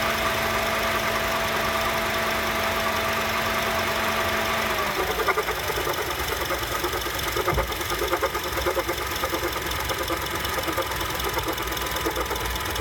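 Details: 2007 Honda CR-V at warm idle with AC off: an irregular clunk about every half second that goes away twice when the AC turns on. Clunking at idle, cause unknown.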